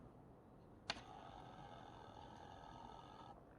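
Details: Teac EX-M5 micro stereo from 2005 with a CD door opening problem, tray mechanism cycling: a click, then a thin steady motor whir for about 2.5 s; sounds dry, likely needing lubrication.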